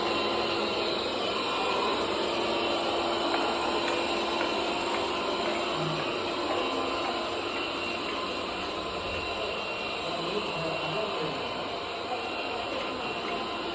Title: Bobsweep loud noise